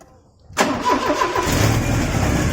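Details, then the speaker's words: Porsche 944 first running after head gasket and cam belt replacement, timing belt not yet adjusted: cranks and catches into a loud, raw, rasping roar because the rusted exhaust flange at the bottom is not joined; exhaust leak. "Actually, don't worry, but I know it's going to sound like very loud because the flange and the exhaust at the bottom is not joined together because it's rusted."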